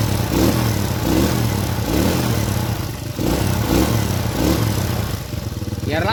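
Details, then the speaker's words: Honda Supra-series carburetted single after needle (jarum panjang) clip adjustment to match the needle jet, warming at idle: even, steady putter with regular beat, no stumbling; mixture now right, normal idle. "Oke, suaranya sudah berubah ya, tidak seperti tadi. Mengbeng mbengbeng."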